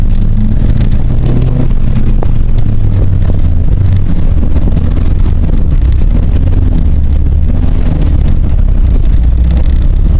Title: cap'n misfire